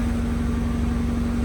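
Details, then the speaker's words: Honda Civic EG hatch, first start after an engine swap, no exhaust fitted: loud, open, even burble at idle with a steady hum and no misfire or tapping. Normal idle. "Ooh, that sounds smooth, bro."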